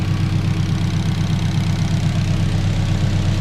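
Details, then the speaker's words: K24-swapped turbo Honda Civic on Haltech ECU with freshly redone wiring loom, heard out the back: deep, even idle with steady low rumble, no ticking, misfire or hunting; purrs, running like a dream; normal idle. "this is what she sounds like out the back absolutely purrs big shout out to haltech but it's running like an absolute dream now"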